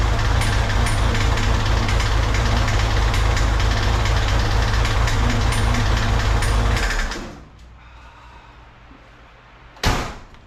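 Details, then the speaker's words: 1963 Chevrolet Corvair, previously resealed, started after fuel system work, with pressure reading about 10 (thought too high): lumpy idle with high-pitched metallic pinging, then shutdown. The knock's cause is unconfirmed. "And then did you hear those sounds? It was like high pitch, bing, bang, bing."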